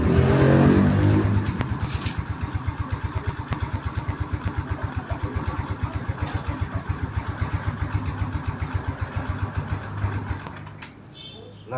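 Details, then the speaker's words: Yamaha Mio Smile scooter that only reaches about 40 km/h and won't pull when throttled; started up, it revs then idle sags and wavers unevenly, nearly dying; carburetor slide suspected not lifting fully, carb to be dismantled. "dia stasiunnya juga tidak stabil. Jadi saya curiga pada karburatornya ya, yaitu pada skepnya itu tidak mau naik penuh."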